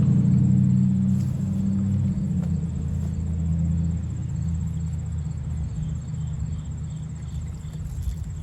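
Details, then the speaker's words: Cheap used diesel bought on Marketplace, being cranked. Steady low starter churn, about four beats a second. It hits on one or two cylinders but won't start; smoke later appeared near the starter. "It was hitting on like one or two cylinders, but it just would not come around to going."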